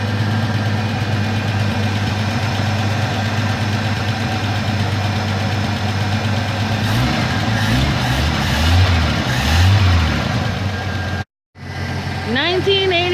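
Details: 1984 Ford F-150 left in the woods since 2008, first start in ten years on old treated pre-ethanol gas and a new battery: steady low rumble at even idle with a light throttle blip, running smoothly under its own power.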